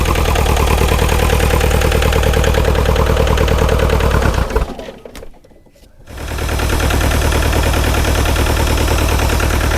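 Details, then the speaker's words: Bobcat T595 with Doosan diesel, cold so RPM is locked at idle, drive belt back on. Steady, lumpy chug about three per second that dips and recovers; running better but still missing on one cylinder, cause not confirmed. "Feels like it's running a lot better, but you can still tell it's still missing on one of those cylinders a little bit."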